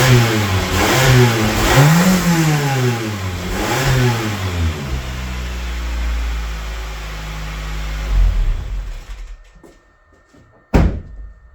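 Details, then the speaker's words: Honda Jazz 1.2 fuel-injected petrol engine revved a few times: loud raspy, blowy exhaust note following the throttle; exhaust leak said to make it drink petrol, fixing the exhaust planned as first job. "So, with the noise of the exhaust, I think we know our first fix. We will get this that it doesn't drink the petrol anymore, and we will fix the exhaust."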